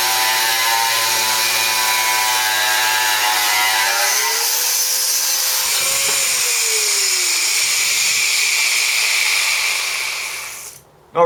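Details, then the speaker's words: Corded Bosch 600 W angle grinder with a standard cutting disc, compared against a Ryobi ONE+ 18V cordless: a steady, high-pitched roar with a bright cutting hiss whose pitch sags slightly under load but never bogs. Normal cutting under load. "Not really a problem cutting through that."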